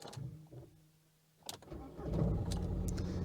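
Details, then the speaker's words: VW Lupo 3L, after the gearbox hydraulic pump builds pressure with brake pressed in Stop position: brief crank, then the engine catches and settles into a steady even idle within a second, a clean start. "Okay, now we can start the engine."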